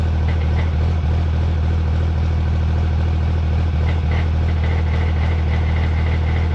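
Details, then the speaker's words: Cummins drag truck after first track trip, at idle: loose, fairly even rattle about three per second like marbles in the automatic transmission, barely rolls in reverse; owner suspects a destroyed sprag, unconfirmed until the trans comes out. "All right, well, it sounds like it has marbles in it. That's not good. And it doesn't want to roll backwards."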